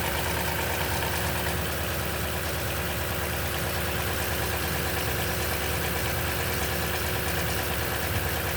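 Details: Cold V8 idle on a 2010 Toyota Tundra with 165k miles and 5,500-mile oil changes all its life: a fast, uneven light rattle of about three a second over a steady engine note, possibly timing chain slap.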